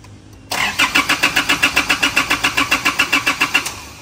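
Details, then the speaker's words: Car with no-start, no fault codes, fuel not flowing at the pump; fuel supply interrupted causes long cranking: starter turns evenly about four beats a second for three seconds without firing; crank, no start. "ที่ยาวก็คือน้ำมันมันขาดช่วงนะเมื่อกี้สตารไม่ติดนะครับ"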